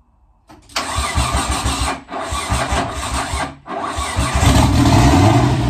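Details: JDM Nissan 180SX (S13) with swapped RB25DET, top-mount Garrett GTX3071R turbo, new injectors, first start after 3.5 years: starter whirs in two short bursts, then the six catches and settles into steady, even idle. Normal start and idle.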